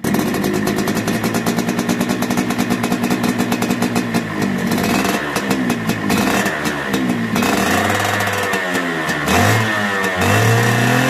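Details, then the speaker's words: Suzuki Satria Hiu two-stroke motorcycle after loose magneto (flywheel) was re-secured: crisp idle and clean revs, earlier rough noise from the left side now gone, engine running smooth and normal. "nah dan motor sudah normal kembali suaranya kasar sekarang sudah halus lagi"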